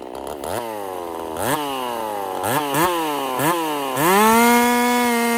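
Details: Husqvarna 50 Partner 5000 hybrid race chainsaw on its first cuts after a rebuild with a machined piston taper, in wood too big for the bar; a bright two-stroke scream bogs and climbs with each cut, then holds a clean steady pitch. Normal running under load.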